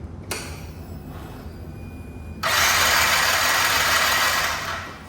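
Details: Yamaha C3 moped after a fuel pump replacement, new plug and battery: steady high starter whir that never catches. Fuel is reaching the injector; cause not yet confirmed. Cranks but no start.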